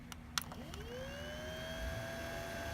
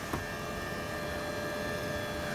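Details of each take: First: Original Xbox (1.0) cooling fan after oiling its loud fan with olive oil: spins up from rest into a smooth, steady mid-pitched whir with no rattle or scrape; bearing sounds healthy and quiet. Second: Original Xbox 1.0: loud steady whir with fixed tones over the airflow rush from one noisy cooling fan. Sounds normal with that fan disconnected; it needs replacing or servicing.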